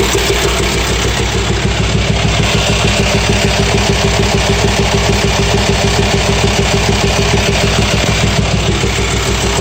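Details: VW T5 Transporter 2.5 AXD diesel at idle, hose pulsating: loud idle with a steady tapping knock of about two per second. Teardown showed worn hydraulic lifters and camshaft; after replacing them the knock disappeared.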